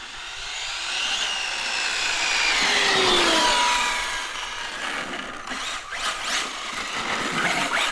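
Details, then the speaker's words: Arrma Felony RC car, two years old, on brand-new tires. A high whine climbs and falls with each throttle burst, smooth with no clicking or grinding; healthy motor and drivetrain. "it's an awesome looking RC and this thing sounds absolutely amazing"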